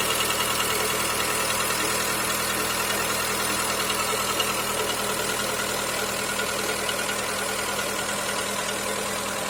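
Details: Skoda Fabia 1.4 engine knock: fast, fairly even light tapping, about three per second, over the idle; cause suspected but not confirmed.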